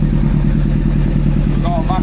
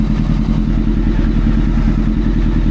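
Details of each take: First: Old four-cylinder four-carb motorcycle with no exhaust fitted: lumpy, uneven idle from an air leak on cylinder number four, a split vacuum pipe, also blamed for earlier random flames; vacuum leak. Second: Old four-cylinder carbureted motorcycle after carb butterfly balancing and fixing a manifold air leak: even, smooth idle with no popping, flames or misses and level throttle response; normal running.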